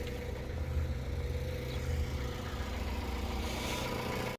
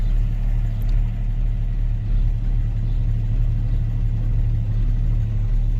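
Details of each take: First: Jeep Grand Cherokee ZJ with dead battery, just started by jump start after only clicking: steady, even low rumble with no misses or knocks; normal idle. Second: Jeep Grand Cherokee ZJ, jump-started after a dead battery, idling with temperature gauge climbing high (owner suspects low antifreeze); deep steady low rumble at idle that stops when driving, cause unknown: idle rumble.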